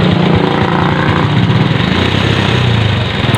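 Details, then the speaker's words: Kymco motorcycle engine idling before repair, loud busy metallic clatter and knocking over the exhaust beat from a noisy timing chain; side covers, engine cover, chain assembly and flywheel cover then removed to fix it. "Now we hear the engine running and we hear that the engine is very noisy and knocking. The timing is noisy and the engine also."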